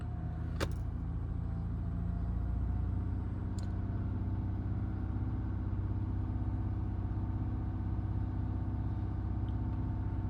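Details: Audi A8 3.0 TDI, six years old and 30K, idling: faint uneven light tapping under the diesel clatter, from a slack timing chain and worn sprockets; injector number 1 reads slightly high but was ruled out.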